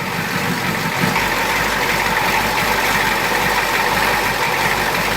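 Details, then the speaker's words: 1986 Ford F250 diesel after a new glow plug relay was installed and air was bled from the fuel system: loud, clattery idle with an even rhythm and no misses; normal older diesel idle. "That's one noisy engine, Battle."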